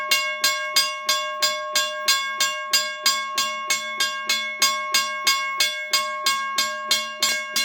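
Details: Western Railroad Supply (WRRS) Seaboard Coast Line mechanical crossing bell, probably around 60 years old, revived on a 9 V battery after sanding rusted parts and WD-40, first ring in over 30 years: crisp, even gong strikes about three per second, working normally.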